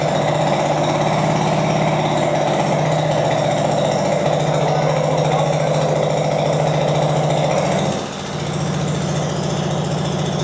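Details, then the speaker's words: Translucidus MT02 transparent educational single-cylinder Otto-cycle engine run with the muffler core removed (unbolted with an Allen key); loud, harsh rapid popping bark with a brief dip near the end, typical of open exhaust without a muffler. "É só pegar uma chave Allen e retirar o miolo do silencioso através desses dois parafusos. Esse aqui é o miolo do silencioso. Vamos ligar o motor agora sem silencioso."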